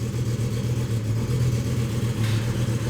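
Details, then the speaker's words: 2007 BMW M6 V10 from another shop, running rough on an empty tank with cylinders 1-5 misfire codes: deep uneven pulsing idle, basically missing a whole cylinder bank. "and that is where we are we're missing basically a bank"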